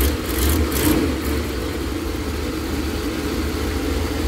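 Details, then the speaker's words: V8 just started after head gasket replacement, cold: brief rev settling into steady even idle, no knocking or ticking, quieter than before; owner suspects an exhaust leak on one side; normal idle. "so far it sounds quieter and i don't hear any knocking"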